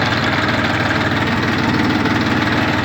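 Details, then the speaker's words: Chinese Saturn ST2501 diesel mini tractor idling with a steady diesel clatter, no surging or stumbling, just before reversing. The engine runs evenly and cleanly and the gearbox shifts very smoothly; normal idle. "сейчас попробуем прокатиться назад сдадим двигатель работает ровно чётко"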